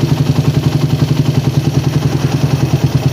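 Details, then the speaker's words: Carburettor (PWK/PE) air-screw setting on a warmed-up single-cylinder engine at idle: screw turned in until low, lumpy idle sags and nearly stalls, then backed out slowly for the most stable idle. "Nah, udah kedengeran mau mati, langsung dibalik. Terus putar pelan-pelan sampai dapat idle paling stabil guys."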